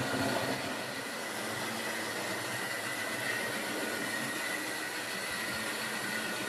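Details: Wrenn West Country class model loco Lyme Regis, not run since the 80s, after joints greased and reassembly: even, steady whirr of small motor and gears with faint high hum, no knocks; runs smoothly.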